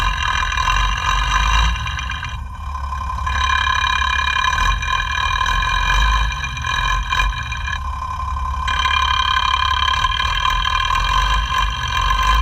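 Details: FAW 260hp truck diesel after overhaul, idling, sound tester on injection pump plungers one to six: uneven tapping about four a second over steady ringing.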